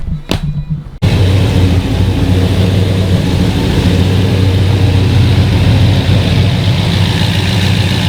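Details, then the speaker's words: LS V8 swapped into a Volvo 940 wagon, freshly topped off and burning off dripped oil and probably brake cleaner; after a brief lead-in, a deep steady idle with an even pulse and no misses or knocks, sounding healthy. "but we got all topped off we're burning a little bit of uh oil that we dripped and some uh probably brake cleaner off the engine but yeah she sounds good"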